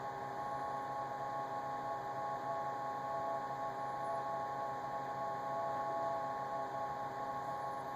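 Steady high-pitched whine holding a constant pitch over a soft fan hiss; the fridge is whining, cause not pinned down.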